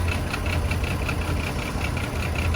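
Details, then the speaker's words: Chevy Trailblazer idling rough with an uneven, lumpy thump and a faint recurring tick. Misfire on cylinders 3 and 5; spark plugs, coil pack or ignition coil suspected, unconfirmed. "You got a Misfire in 3 and 5. So I don't know if they is due to the spark plugs Or the pack. or it's still a bad ignition coil."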